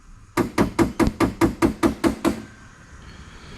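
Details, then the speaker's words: Turbo Ecotec V6 track build: nitrous solenoid wired to the idle stepper 1A output, fired from the tuning software's output test. Ten crisp, even clicks about two a second in a quiet bay; solenoid activates and works normally. "so that's a nitro solenoid activated and working"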